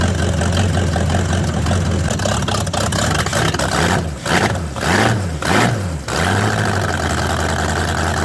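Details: Chevrolet El Camino V8 started in cold weather of about 35–38°: steady low even idle with a brief mid dip in revs, settling smoothly, no knocks or misses; runs fine.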